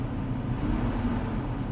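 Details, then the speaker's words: Rover SD1 daily driver revved at full operating temperature after replacing a perished fuel/air mixture delivery hose, with no fuel leaks left: the petrol engine picks up cleanly and settles back evenly with no misfire or stumble. "Give that a rev. Cool. I think I'll get the airbox on, go for a little spin."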